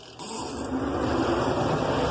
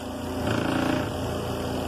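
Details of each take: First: Zeny portable twin-tub washing machine, spinner side, 5-minute timer; motor winds up with a rising hum, a bit loud at first, then settles into a steady even spin with a light buzz. Normal spin-cycle startup. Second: Zeny portable twin-tub washing machine, spinner running; buzzing rattle over the motor hum because the closed lid on the spinner side vibrates. Lid vibration.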